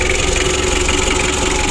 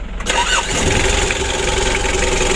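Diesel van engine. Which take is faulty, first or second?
first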